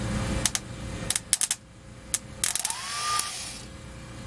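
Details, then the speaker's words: 2006 Ford E-450 Super Duty, 6.0 V8 diesel, starter that was cranked until it burned out, jumped with thin-gauge wire. A few sharp clicks, then a brief whine as the starter free-spins without shooting out; possibly not enough current. Starter spins without engaging. "the starter just spins right it doesn't shoot out which makes you believe one of two things it just doesn't have enough power to complete the process"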